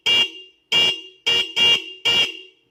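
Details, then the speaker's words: Motorcycle stock horn rewired with an added second horn into a dual setup: five sharp honks, a bright high note layered over a lower one, crisp and full, like an aftermarket Avanza horn; normal, healthy dual horn. "Kayak ya mirip Avanza KW gitu, maksudnya seklaksonnya klakson KW, bukan Avanza-nya yang KW. Ya klakson Avanza KW lah gitu."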